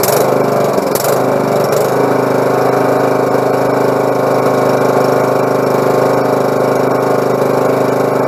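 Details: Husqvarna lawn mower after carburetor clean and repair (fuel had been leaking through the carb into the exhaust): small engine runs smooth and steady at an even speed, no misses or knocks; fixed.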